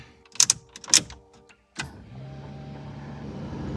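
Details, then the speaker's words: 1988 Toyota MR2 AW11 cabin blower fan, car has no air conditioning: a few switch clicks, then a soft, even whoosh of air building gently in pitch; fan spins up and blows normally. "Hey, the fan works. There is air there."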